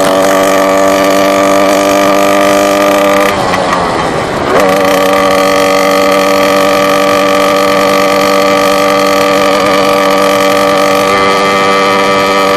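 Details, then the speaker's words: Motorbike, phone recording in the rider's pocket: engine drone sags and surges off throttle, hunting after the clutch is pulled in while slowing down before settling to idle; cause not yet found. "It's whenever I'm going, I pull in the clutch, slow down, let go of the throttle. It kind of goes this vroom, vroom, vroom, vroom, vroom, vroom, vroom, vroom, and then it kind of just slows down, and then goes to an idle."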